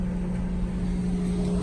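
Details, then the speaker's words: 2014+ Chevy Silverado 1500 5.3L with cold engine, key removed: cooling fan stays on with a constant rushing hum and low drone and runs faster than normal; codes P0118, P0128, P0480, P0691; replacing the thermostat and clearing the codes should fix it. "i'm gonna wait a little bit and turn off the car and the fan still staying on after i remove the key now the fan is on"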